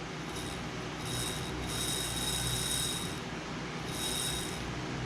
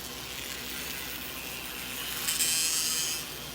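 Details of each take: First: Bachmann Spectrum N-scale SD40-2 locomotive bought used on eBay, bare motor powered by touching contacts: thin high whine swelling and fading with light rattle because the motor is loose, not held in its mount; motor spins well. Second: Used Bachmann N scale SD40-2 model locomotive on an HO transformer at about 40% throttle: a thin, high buzz swells as it comes round, believed to be resonance from one or both motor flywheels vibrating and possibly contacting the split chassis.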